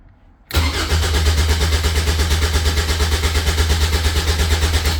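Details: Caterham 7 620S, cold after sitting overnight: steady rhythmic starter whirr about four and a half seconds, never fires; immobilizer suspected, fuel pump primes; cause not confirmed.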